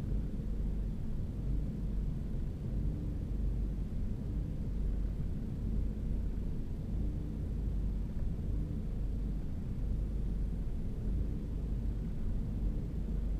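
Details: 2011 EcoBoost engine at startup: low, uneven idle rumble that wavers and never settles, with no distinct tick; owner notes the fluctuation is not from his foot.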